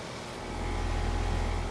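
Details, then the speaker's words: Premium "soft sound" AC condenser, fan at full speed, recorded close up, compressor in a blanket: smooth steady low hum, soft even fan rush, no rattles or squeals; normal running. "close to it sounds pretty good these were think fifteen or sixteen I think there was fifteen seer the xh5 was for 15 seer but pretty quiet"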